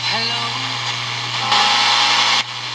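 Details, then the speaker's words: GE P965B radio after transistor replacement: audio with a steady low hum, then hissy crackle and dropout as the volume knob moves; very touchy volume control, cleaning hoped to fix it; scratchy volume control. "Alright, you can hear it's working. Like I said, it's this volume control."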